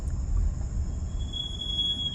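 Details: VW Taigun 1.0 automatic, two years old with about 24K on the odometer: a thin, steady high-pitched brake squeal over low road rumble while rolling slowly; a production issue the owner says was never fixed.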